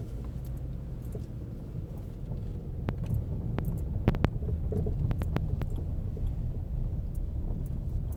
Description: Ford dealer removed front passenger strut and noticed a sound when the strut was moved around. Otherwise strut appeared to be functional. New strut installed, noise gone.